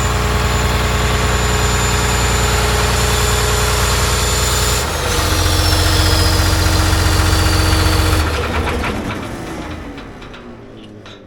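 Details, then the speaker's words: John Deere 850J dozer diesel, after second rebuild to fix a slight tick: steady, even idle, briefly picks up, then winds down cleanly on shutdown; good oil pressure, no knocking, healthy. "all right try again it sounds better I can hear it already got a good oil pressure sounds a lot better"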